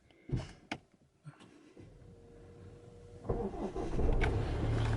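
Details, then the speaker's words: 2016 Land Rover Discovery Sport HSE diesel, 19,000 miles, little driven in 2020, original battery: a few clicks, brief crank, catches cleanly and settles into a steady, even idle; normal start, though engine management light then shows. "it started. Popped up."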